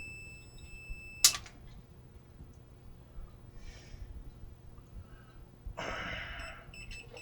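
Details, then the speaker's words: 1963-64 GE AM/FM radio model T238B, multimeter on continuity on the tuning capacitor rotor; continuous high beep for about a second then cuts out, so the tuning capacitor is shorted and must be cleaned up before continuing. "Yeah, it's got a short in it. I'll have to clean that up first before I can even continue."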